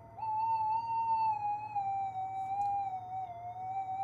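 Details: Minelab GPX 5000 metal detector under bench repair: steady mid-pitched threshold tone that drifts and warbles, from moisture on the circuit board after cleaning with methylated spirits.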